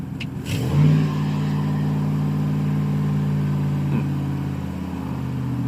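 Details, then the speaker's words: 2010 Chevy Silverado V8 after throttle body cleaning, TPS replacement and relearn for P2135 reduced engine power; starts, flares, then holds a steady elevated idle instead of dropping back, performance code still present; high idle. "That's interesting. It doesn't usually stay revved up like that."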